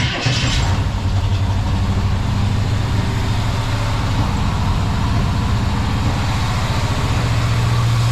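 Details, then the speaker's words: Squarebody truck idling after a DIY boxed full exhaust system and headers install: deep, steady V8 rumble with even firing and no ticking or puffing leaks; sounds much better than before. Normal exhaust note. "sounds okay foreign sounds much better than it did"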